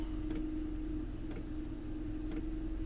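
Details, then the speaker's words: Maxpeedingrods 2 kW 12V diesel air heater in a camper van, about 10 minutes on low setting, outlet air high 60s to low 70s; quiet steady hum with a soft, slow fuel pump tick about once a second; normal running on low. "It is high 60s to low 70s, just purring out of there. That's going to be perfect for sleeping. Hear how slow that fuel pump is."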